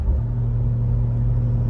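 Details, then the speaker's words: BMW B58 turbo after electric wastegate actuator relearn cured limp mode (codes 123432, 123437) and two boost leaks fixed; deep steady rumble, even low hum, no hiss or flutter. Normal turbo engine running. "I don't know if it just sounds different while I was fixing this problem I also found two boost leaks so my car is sounding a little bit different"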